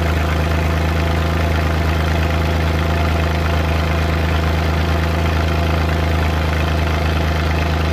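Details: Suzuki Multicab F6A at idle: steady low idle with irregular "Tak...Takatak...Tak" stumbles skipping beats at random, random misfire, cause not identified.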